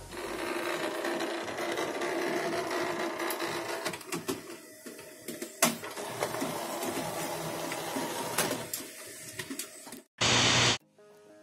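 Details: HP LaserJet Pro M132 scanner copying with lid open: carriage crackles and buzzes harshly as it drives across the bed, persisting after greasing the rail; failing carriage motor.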